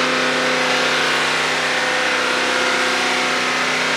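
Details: Mercedes-AMG GT63s after clearing fault codes from bank two: held at about 3000 rpm stationary, a strong even roar with no misfire, stumble or surging; the fault did not return, so the engine is fixed.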